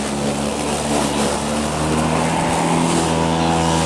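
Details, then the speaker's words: Two-year-old Black & Decker battery self-propelled mower in thick grass, battery gauge at one bar: motor and blade hum sags and wavers as it bogs. It loses power about halfway through each session; owner suspects the aging battery. "just barely running right now but the grass is really full charge throughout the entire moment session it's losing power about half way through"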